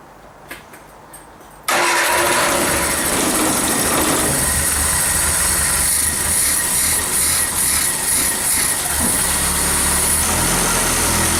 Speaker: it sounds good pretty sweet